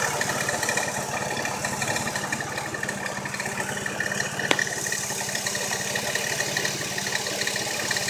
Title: Ruido en el motor